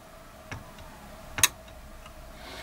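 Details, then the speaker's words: Programmable timer socket relay in a quiet room: two sharp, isolated clicks as it pulls in; the contact is suspected bad and the coil possibly fried, as it buzzes and fails to hold the load. "me that the relay itself is clicking okay, but the contact, I think it's bad."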